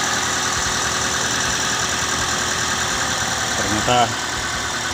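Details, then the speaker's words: Car engine starting and settling into a steady, even idle with no misfire or stumble, after reviving a weak (soak) battery that would not crank; ignition switched on about 5 minutes before starting; engine started successfully and idles normally. "Oke, saya akan coba starter setelah tunggu beberapa menit. Ya, mesin menyala."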